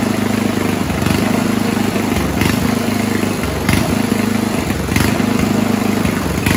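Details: 1970s Roper 1032 snowblower, probably 10 hp Tecumseh-style engine: loud steady chug sagging and recovering roughly every second, still slightly hunting on lean idle mixture after fixed-jet bowl fitted; richening idle circuit later fixed it.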